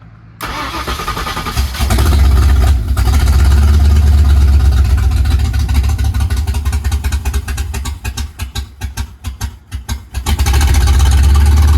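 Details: 1982 Mercury Capri small-block Ford with a new air-gap intake, distributor reinstalled after the engine had been out of time, maybe a tooth or two; catches quickly, strong even V8 rumble with blips, carburetor puttering gone.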